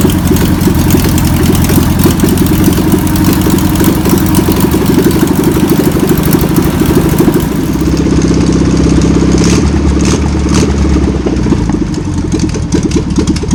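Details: VW pressed-bumper bus engine sat over 50 years, run after freeing with spray and fuel added; fuel pump suspected bad. Loud, lumpy but continuous air-cooled putter at fast idle, no knocking or grinding; old engine runs, untuned.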